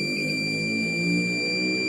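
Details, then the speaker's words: Digital multimeter continuity buzzer after converting it to an 18650 battery with a micro-USB charger and 9V step-up module; a steady, loud high-pitched beep, louder than before, working properly. Plain iron probe contacts are less sensitive and should become brass. "Nah, buzzernya jadi lebih kencang kan? Buzzernya menjadi lebih kencang suaranya."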